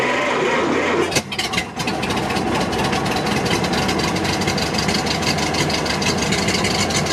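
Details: Barn-find 1929 Ford Model AA truck, first start in over 30 years, cold with no coolant, after carburetor float fix: cranks, catches and settles into a lumpy, lopsided idle with a missing beat; rough idle, dead cylinder.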